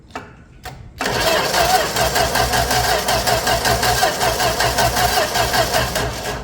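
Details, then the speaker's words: 1965 Plymouth Valiant 100 slant six, first start attempt in years, on jumper box with 200 amp start: starter cranks quickly and evenly about five seconds with steady compression pulses, no odd knocks; normal cranking. "Well, that didn't sound terrible. Yeah, it didn't sound terrible at all."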